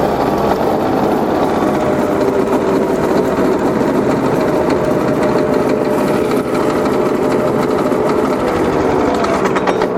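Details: Entry-level garden shredder, about 20 months old, chipping dry wood after months unused: steady high-pitched motor drone with a dense, even crackle of chipping wood. Running normally under load.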